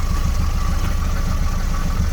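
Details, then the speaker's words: Ford petrol engine at warm idle around 800 rpm after PCV/crankcase-ventilation fix for high, surging idle: low even rumble with faint rhythmic knocking from a loose exhaust bracket hitting against it. "das ist dieses geräusch von auskunft das muss ich auch noch raus zu und da ist die halterung vom ostereffekt hier seht ihr das"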